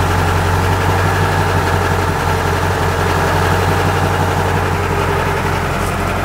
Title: Truck making a weird noise.